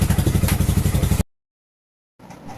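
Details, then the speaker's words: Hero Splendor Plus BS6 single at idle after timing chain replacement: even, steady low thumping with no rattle or tapping, where a damaged chain had caused the rattling. Normal idle. "आप दोस्तों को देख सकते हैं, यह बहुत ही मधुर ध्वनि है। हम इसे आपके बिल्कुल करीब लाकर दिखा रहे हैं। आप आवाज सुन सकते हैं। इसके अंदर बिलकुल भी शोर नहीं होता।"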